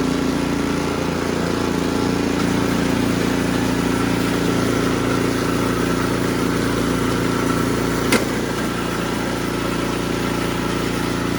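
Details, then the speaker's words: Ariens Sno-Tek 24-inch snowblower after fixing the impeller clunking, a small washer-related rattle: small engine runs at a steady even pace, impeller engaging and disengaging smoothly with no clunking; normal running. "it is engaging disengaging it is quiet as butter"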